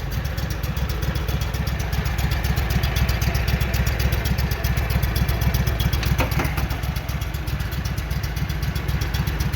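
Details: Walker mower that had been backfiring through the carburetor, running before a grass mowing test: steady even thump about four beats a second, smooth with no misses or knocks, normal running.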